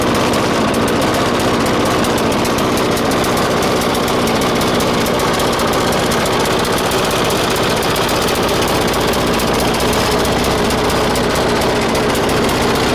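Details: 1996 Murray 20-inch mower, 4 HP Briggs & Stratton, cold start at 3°C after 10 months sitting, bad primer bulb. It makes fast, choppy, uneven popping: running lean and starved of fuel. A different idle-raising spring was fitted; it may need spring adjustment.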